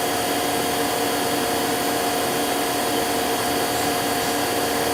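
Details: 1999 Daewoo DMV-500 vertical machining center with Mitsubishi control, spindle run through 1000 to 8000 rpm. Steady, even whir with a few fixed tones, no vibration, rumble or grumble; healthy spindle.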